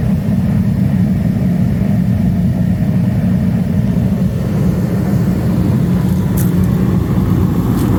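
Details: Master kerosene torpedo heater after an E1 shutdown repair, lit and warming up. Steady low roar from the burner with an even combustion rumble and no sputter or surging; running normally.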